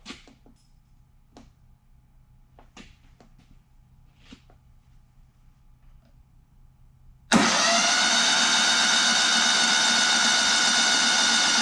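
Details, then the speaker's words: Kohler CH20 Command 20hp engine in a Walker GHS mower, just rebuilt with a budget kit, cranking for a compression test: smooth, even fast spin-over with no knocks or scraping; turns freely and sounds good. "all right sounding good give it a quick Chuck on the oil"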